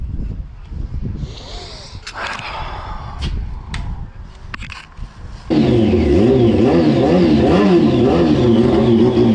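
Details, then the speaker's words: 2004 Yamaha R1 unstarted for over 10 years, on fresh fuel: after a few clatters it catches and revs in quick, uneven surges several times a second; owner suspects ether, cause unclear. "Fucking hell, the thing runs, mate. Like, it runs. What the hell is going on?"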